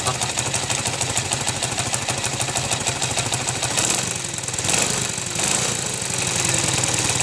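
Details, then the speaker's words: Motorcycle idling after a cylinder head rebuild (valves, seals, guides), quiet before the rebuild: rapid, hard metallic internal clatter, steady at idle. The cause is unclear; mechanics variously suspected the piston, connecting rod or crankshaft. "já fui em vários mecânicos um disse que era pistão outro disse que era biela out dis que era virabrequin assim alguma peça batendo dentro do"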